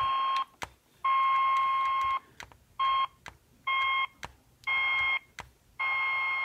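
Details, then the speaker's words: Homemade LC circuit tester on an IF transformer secondary, receiver tuned near 423 kHz: clean steady beeps switching on and off, higher tone near resonant frequency; coil responds, not open — normal resonance tone. "and you can hear the tone when we get close again to the resonant frequency there"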